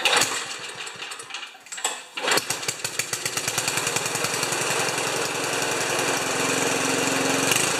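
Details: Ariens 2+2 snowblower after cleaning a tiny clogged jet hole and squirting fluid into the idle circuit. After a few sputters and pulls it catches and runs at about three-quarter throttle with a steady, even small-engine beat; running properly.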